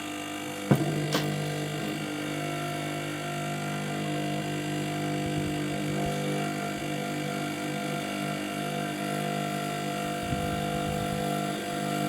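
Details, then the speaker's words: Used 852D+ SMD rework station hot-air unit, running and in after-run cooldown cycle: steady loud buzzy humming drone from the internal air pump rather than a fan, pump rigidly mounted without vibration isolation; loud air pump noise. "the thing is that in it's it's quite noisy and i was expecting it to be more like a fan inside that puts air through the um through the nozzle but it seems more like it's a pump"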